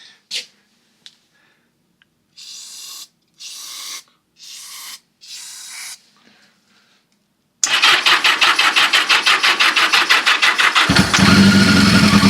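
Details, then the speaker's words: 1982 Yamaha XJ650 Seca four-cylinder, sat 4½ years with stuck carburetor and old gas; pod filters off, brake parts cleaner sprayed in; a few dry cranks then it catches with steady even pops: engine starting on spray. "But that being said, that thing just fired off like that for the first time in 4 and 1/2 years."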